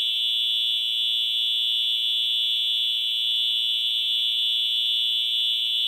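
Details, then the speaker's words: EH-24S horn after restoration, on a 24 V power supply: a loud, continuous high-pitched buzzing blare, a little raspy and stuttery but steady; it fully works, and normal for this horn. "so it does still sound a little bit raspy and stuttery but then again it's an eh horn and they're gonna sound like that"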